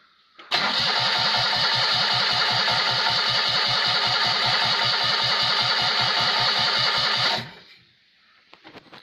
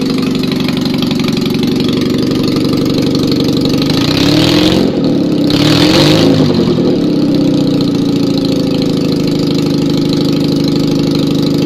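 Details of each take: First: Rebuilt Citroën 2CV engine converted to 652 cc, rejetted Solex twin-choke carburettor, no exhaust fitted, first start: starter churns evenly about seven seconds without catching; float bowl likely empty, probably slow to fire from fuel starvation. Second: Citroën 2CV engine after rebuild and 652cc conversion (pistons, barrels and head refitted, rejetted Solex twin-choke carb, dressed points), first start with no exhaust fitted: loud, raw, even beat, steady idle holding after a brief rev; runs healthy with proper oil pressure.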